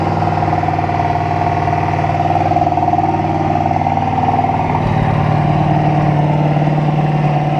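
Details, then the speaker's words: 1968 Buick Skylark running again after about 40 years sitting, on high idle warming up with the PCV hose plugged: a fast, slightly uneven light knock rides over the idle; owner suspects rod knock, and it went away in gear. "little you hear that little knock that doesn't sound [Music] good"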